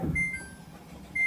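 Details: Samsung washer: two short, sharp high beeps about a second apart give the 3C3 error, a motor assembly fault; a plastic part on the drive motor slips and makes loud noise on spin, so the whole assembly needs replacing.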